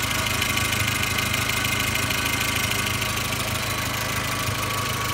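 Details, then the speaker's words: 2004 Volkswagen Golf idling, heard with the door open. A light, quick tick about two per second over the hiss: exhaust leak, which the owner plans to fix. "put the door open you can hear that exhaust leak a little bit more audibly"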